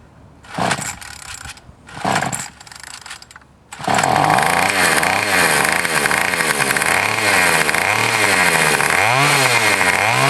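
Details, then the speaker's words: Troy-Bilt TB 225 tiller's replacement small two-stroke engine, primed and choked: two starter pulls, then it catches and runs strongly, revving up and down cleanly; running normally. "there you go guys it runs fine that engine was eight dollars"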